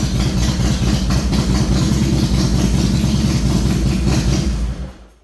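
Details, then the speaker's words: 2007 Harley-Davidson Softail with Screamin' Eagle 110 V-twin, ECM-controlled with crank and cam sensors and two independent coils, after clutch inspection plate reinstalled: even loping idle about three beats a second, no rattle or clunk, then switched off; normal idle. "last thing to do is just fire it up. Make sure it sounds good. Make sure your battery's still full."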